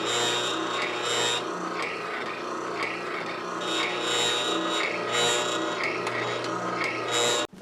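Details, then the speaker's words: New Ridgid R4840 oscillating belt sander running with the spindle fitted: a steady droning buzz with a coarse rattle swelling about once a second from the table lock bolt vibrating in its tube. "annoying rattly buzzing noise came from and it's what's called the table lock bolt"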